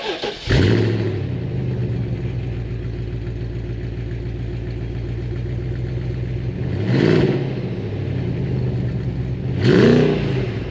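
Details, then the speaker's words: BMW E53 X5 4.8is, 4.8 V8 355bhp with LPG conversion, no visible leaks: starts quickly and settles into a smooth, even V8 idle with a couple of brief blips, no ticking or rattling; healthy start. "So let's shut it down, let's fire it up, let's hear how this sounds, because it's pretty decent, and then we'll take it for a spin."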